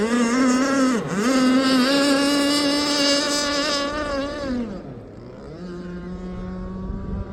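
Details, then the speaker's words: Aeromarine Avenger 44 RC boat, Zenoah 29cc two-stroke with a steel Gizmo pipe, at speed on the pipe in about a 12 mph wind: the engine briefly stumbles and dips in pitch. Intermittent sputter, cause unknown. "She's sputtering there. You guys hear that sputter? Wonder what the deal is with that."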